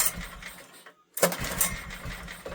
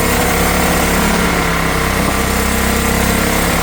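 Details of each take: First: Old heavy Honda generator stored 20 years, air filter missing, petrol poured into carb, on choke: turns over with a few ragged firing bursts that don't catch; spark confirmed, carb issue from sitting suspected. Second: Old Honda generator stored 20 years (barn find), air filter missing, carb issue suspected: on less choke under a drill load it gives a loud, even buzz at steady speed with no surging or misses and puts out power.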